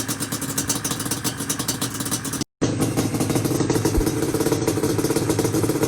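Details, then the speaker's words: Yamaha Banshee two-stroke twin, after cleaning reeds (carbs cleaned, pilot jet up one size; owner suspects old failed gaskets): starts right up with crisp, buzzy, steady popping and no misses; normal running. "the banshee is running it started right up after i went into the reeds and kind of cleaned them out like i said"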